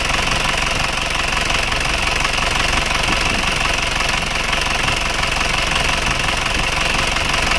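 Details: Panther diesel from Malang, harsh clattery idle with rough uneven knock; smoke from the oil dipstick and oil filler cap; engine teardown found loose piston rings with widened gap (about 1 mm), blow-by from worn rings, fix is ring replacement.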